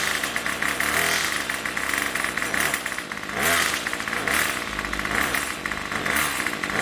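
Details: Craftsman Weedwacker trimmer 316.791191, MTD 27cc two-stroke, Zama C1U-P27 carb, after rebuild, next-day cold start with a little throttle: high buzzy note rising and falling with throttle, running steadily without stalling; normal cold start and running.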